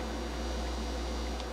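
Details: Technics SL-Q300 quartz direct-drive automatic turntable, bought at a tag sale, hums loudly with no music playing; it also hummed badly on a Harman Kardon. The turntable itself isn't faulty.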